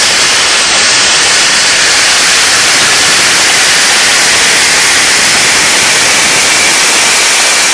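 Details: DIY gas jet turbine go-kart built around a turbocharger, diesel-fuelled afterburner, idle about 22000 rpm: steady even rushing roar dominated by high-pitched hiss, no pulsing or throb; normal smooth running.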